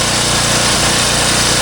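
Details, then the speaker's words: Champion generator, 3–4 years old, over 1000 hours, after cleaning the carburetor jet: loud busy running, briefly calm then hunting again with slight speed rise and fall; float bowl nearly clean. "this is staying fairly calm well it's starting to hunt a little bit again it's starting to hunt again"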